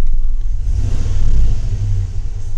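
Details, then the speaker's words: Chevy Tahoe idling after codes were cleared, the owner complaining it shakes: rough, uneven idle with a lumpy low rumble and periodic dips, a random misfire. "startup now and see if we fixed anything you'll have a misfire can I hear it something going on"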